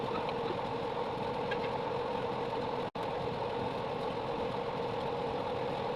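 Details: 3.0KVA generator after a full engine rebuild with new piston and rings: steady even note with a constant hum and no knocks or misses; the problem is solved and it runs normally.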